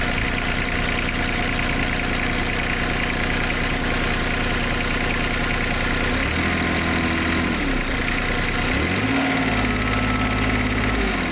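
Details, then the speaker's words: IHI 28J mini excavator, Isuzu 3LB1 three-cylinder diesel, after fixing diesel in the crankcase and bleeding the injector line: clatter firms up and deepens as the dead cylinder picks up; now running evenly, successful fix. "You hear the engine pick up. And that cylinder is working."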